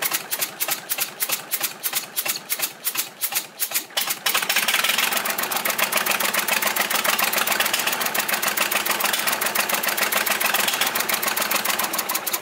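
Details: Volvo 320 tractor with Perkins indirect-injection diesel, first start after rebuild, idling with rocker cover off and glow plug not fitted: sharp regular puffing tick about 3.5 per second from one injector blowing combustion gas past its seat. Injector to be removed and resealed.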